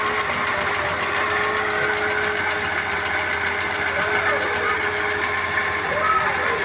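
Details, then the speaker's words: Supercharged Ford Fiesta running rough with fast light ticking/knocking from the top of the engine over a steady whine; consuming lots of coolant, stalls, misfiring, dripping injectors; head gasket replacement planned, warped head suspected. "aqui motor funcionando irregular aí com batidas aí deo na parte de cima e ele funcionando com dificuldade"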